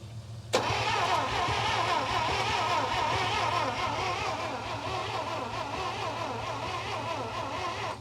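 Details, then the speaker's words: 1952 Oldsmobile 88 with 303 Rocket V8, sitting since 1962, cranked by a remote starter button: about seven seconds of even cranking with no fuel and no start. Lines are to be cleaned and a fuel pump fitted; it smokes heavily from the oil fill. "then we're gonna clean out these two lines and put the fuel pump on that one and then hopefully it should run"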